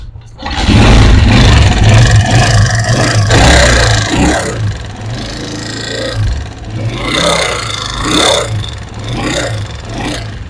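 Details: Honda CG125 single-cylinder motorcycle engine revving: harsh, rough valvetrain clatter on top.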